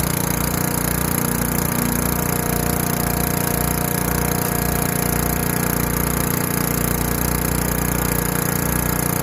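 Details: Craftsman Eager 1 4hp chipper vac 987.799790, auction flip, with a long hose of about 10 ft, sucking up wet, gigantic leaves. Steady small-engine drone with an even low pulse around 220 per minute, no misses or knocks; working fine under load.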